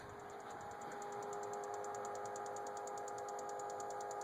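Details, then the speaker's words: 2003 Dodge Ram 2500, 5.9 24-valve Cummins, NV5600, about 65°F, long cold-start problem (owner suspects injectors): steady fast tick about four per second over faint hiss after cranking stops; owner unsure if grid heater or something else. "you can still hear that tick in there I'm not sure if that's the grid heater or what's going on"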